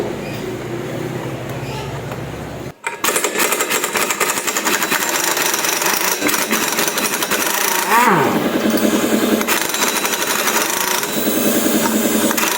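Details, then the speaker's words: Yamaha Lexi scooter, CVT complaint with damaged pulley fan, running: rapid uneven metallic clatter about three to four hits a second from the CVT; drive pulley working loose on a worn crankshaft thread, found on disassembly. "inilah tandanya kalau mau lepas pasti kedengeran kan bunyi gitu"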